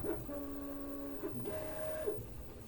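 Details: Prusa MK3S+ 3D printer printing in stealth mode, linear rails and bearings freshly replaced and oiled, calibration passed: stepper tones hold and jump with each move over a harsh buzzy rattle; grinding in motion system, cause unclear.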